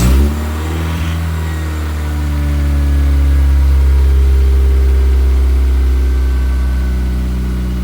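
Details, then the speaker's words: Honda Accord after misfire repair with head reinstalled, first start-up: catches at once into a steady even idle, loud from unfixed open exhaust, no knocks or misfire; belt still needs tightening; runs healthy. "Sounds great. Shape. I just gotta tighten that belt up."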